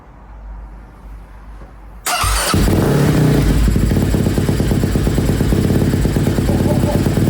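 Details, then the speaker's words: Freshly rebuilt KTM 250 SX-F first start with fuel, water, oil filled, in neutral, choke on: quiet two seconds then catches and settles into a steady even run; normal engine start. "All right, I don't want to risk anything, but that sounded really good. You never get tired of trying to run these engines for the first time. But that sounded good."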